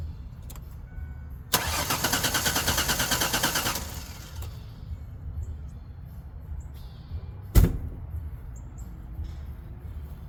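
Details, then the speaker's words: Ford Sport Trac no-start, cranked with mass airflow sensor hose reconnected: starter spins briskly about two seconds, even churn, no catch or fire; not fuel related, spark present, points to low compression. "okay so that did not even try to start so I know it's not fuel related"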